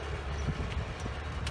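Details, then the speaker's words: 1992 Mariner 40HP Magnum two-stroke outboard idling after repairing oil-reservoir float (magnet reattached), which had caused continuous low-oil beeping; now no beep, quiet even putter, steady tell-tale stream; normal idle, repair successful. "notice there's no beep you can hear the motor running csp is a good steady stream"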